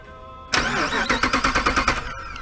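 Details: 2005 Jeep Grand Cherokee, starter cranked by shorting the two starter relay terminals: crisp, even cranking at roughly nine compression pulses a second, then cuts off; starter spins the engine strongly with no clicking, normal.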